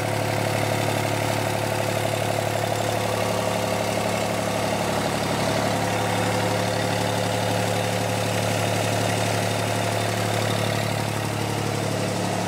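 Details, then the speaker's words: John Deere 400 garden tractor diesel-swapped, first start after hydraulic and electrical work: even, steady diesel clatter at about four beats a second with a deep smooth drone, no misses or knocks; healthy idle. "we'll go ahead and see if we can run it now and listen to it with hopefully outing knocks and electrical problems [Applause] there you go sounds good"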